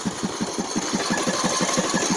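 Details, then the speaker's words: Old, neglected Craftsman T150 riding mower before an oil change, idling and smoking heavily: uneven thumping beat, roughly five pulses a second, skipping and stumbling; misfire and knock blamed on lack of oil. "were secondary phone now if you listen you can hear a misfiring that's from lack of oil be put in a smoke all that smoke"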